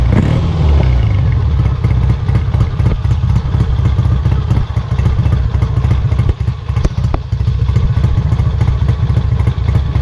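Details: Kawasaki W1 twin on first start attempt after rebuild, carburettor being adjusted: uneven stumbling, hunting beat that won't settle to a steady idle; owner suspects an air leak or fuel not getting through, carb to come off again.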